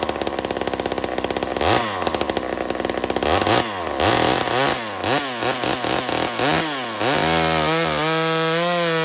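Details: Small Homelite two-stroke chainsaw cutting maple: it screams at high revs, bogs and recovers as it bites the hardwood, then clears cleanly. Strong, healthy cutting.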